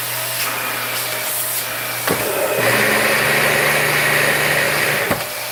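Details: Monroe vacuum after the bin was washed and the unit taken apart and cleaned, with a brand new filter fitted. Steady, high motor whoosh with an even hum and no rattle or surging; runs smooth and healthy.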